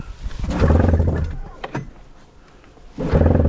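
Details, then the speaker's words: EFI snowmobile after the tether popped off: two bursts of steady starter cranking with no firing. It cranks but won't start; owner suspects no spark or that it's flooded. "sounds like it's got to get fire."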